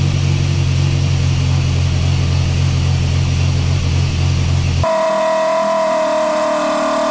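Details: Chevy S10 swapped with a Mercruiser 140 boat engine. It runs with a rough, low rumble at idle, backfires, then cuts out and won't hold idle. Owner suspects a tune problem.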